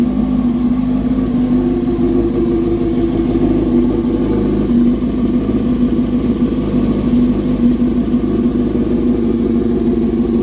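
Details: 2007 Yamaha R6S first start after replacing the ignition coil with a new one; crisp, even engine note picks up cleanly on throttle and settles back without misses; normal running.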